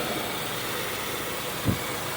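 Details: 2002 Buick LeSabre, first start after replacing upper intake plenum, lower intake and valve cover gaskets, EGR chimney, thermostat, PCV valve and coolant elbows; old leaked oil burning off exhaust manifold; quiet even idle, no knocks, misses or ticks: normal idle.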